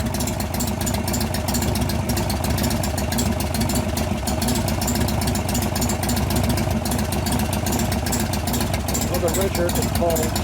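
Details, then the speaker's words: 1988 Harley-Davidson FXR after lifter noise repair, pushrod adjustment and cam change: steady, even V-twin idle with no ticking or tapping from the top end; valve train quiet and healthy. "all right here I'm coming I'm not hearing valve noise that's a good sign"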